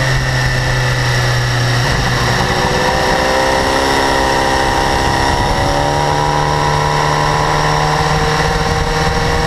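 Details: 2012 BMW S1000RR, about 4500 km: fast, light high-frequency ticking over a loud steady idle, absent at first and growing louder; owner suspects valve clearance or interference-pipe flaps, source still unknown.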